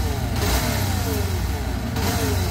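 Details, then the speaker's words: Sniper version 2 motorcycle, previously repaired elsewhere with a misaligned con rod: engine revs with a rough, gravelly undertone from the lower engine that rises with speed; damaged, rusted engine bearings, fixed by full overhaul. "So yan, ito yung ingay niya, no? So yung tunog nang gagaling dito sa may baba."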